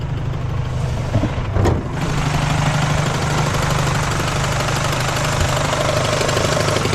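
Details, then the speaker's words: 1998 Acura Integra with hardened motor mounts; harmonic balancer loose and slapping, loose uneven knock about two per second over idle; power steering, alternator and likely AC lost; loose harmonic balancer. "That's really weird. The harmonic balancer is just slapping around down there."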